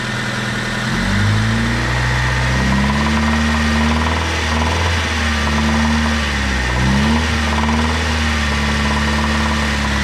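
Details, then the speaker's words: 1997 Honda Civic, 220,000 miles, oil burner, found with only about half a quart of oil: knock faint at idle after startup but a rough hammering that follows rpm when revved. Rod knock from running low on oil. "It knocked a little bit and then it quieted down, but as you rev the engine, you can clearly hear it."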